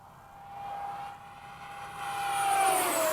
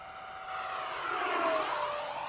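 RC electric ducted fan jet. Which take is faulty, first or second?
first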